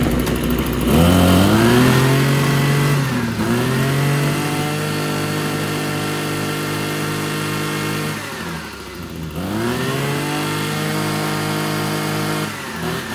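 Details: RedMax TRZ230S two-stroke trimmer after repair, which isn't revving up high: it revs then sags to a slow, uneven idle that nearly stalls, set too low. The idle screw is being turned up.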